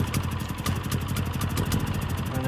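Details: Brand-new Generac iQ3500 generator, about two hours old, dead on arrival with no power output; runs really rich and not properly, misaligned exhaust melted plastic. Small engine chugs unevenly with sharp irregular clatter, not holding speed: rough running, cause unconfirmed.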